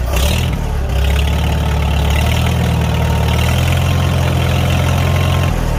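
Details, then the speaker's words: Farmall 300 Row Crop tractor after exhaust manifold replacement and with muffler refitted: steady, even low rumble at idle that picks up cleanly when revved, no blowing or ticking; running healthy. "Sounds pretty good. Yeah, I think I like that sound much better. I think it fits this tractor better."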